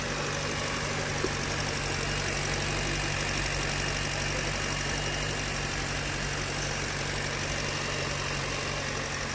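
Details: Hyundai Verna 2023 petrol automatic, after overheating repair work: smooth, even idle with steady hum and no knocking or uneven beats; engine running healthy.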